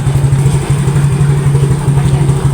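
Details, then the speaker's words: Yamaha Mio GT scooter hard to start, dies on throttle: after starting, low uneven putter that bogs and hesitates when throttle opens, then stalls immediately. "Walaupun nyala tapi ngok ya. Jadi telat. Oh, langsung mati."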